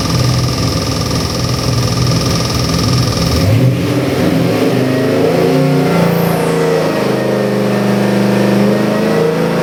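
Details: Custom-built Ford 351 Windsor V8 with Holley Sniper EFI for a 1975 Ford Bronco, on the dyno (made about 399 hp, 438 lb-ft): starter catches, deep even idle, then revs rise and fall cleanly; no knocks, misses or rattles, healthy.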